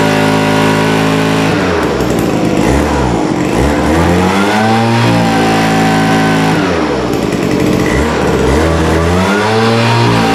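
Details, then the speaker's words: Vintage WeedEater leaf blower, Walbro diaphragm carburetor reinstalled, no high-speed mixture adjustment, air cleaner off: revs rise and fall unevenly, won't take full throttle, flat top end; running lean up high. "So mixed results, of course. It actually sounds like it's running okay. It's a little bit lean, I can tell on the top end. It doesn't want to take the throttle."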